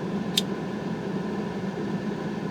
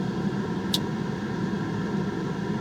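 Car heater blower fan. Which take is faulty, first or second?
second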